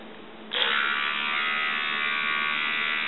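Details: Oral-B toothbrush on its original AA batteries, before conversion to a 3.7 V DC 300 mA wall charger: steady high-pitched buzz from half a second, even with no wavering, healthy motor.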